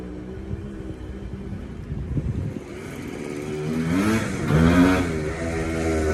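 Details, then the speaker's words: TC125 two-stroke dirt bike ridden on a cold day after a carb clean and a new fuel line with filter: buzz rising cleanly as throttle opens, revs climbing and holding without bogging or sputtering; runs healthy. "She runs like a dream now. That was great. That was great, y'all. 125 runs pretty good."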